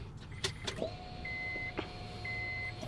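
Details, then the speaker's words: Honda, after in-tank fuel pump repair for long cranks, sputtering, stalling and misfires: key to run, faint steady pump hum for about two seconds, stops cleanly; normal prime before it fires right up. "just turn the key to run and you'll hear the fuel pump come on zzzzzzzzzzzzzzzzzzz is off and then it'll turn off"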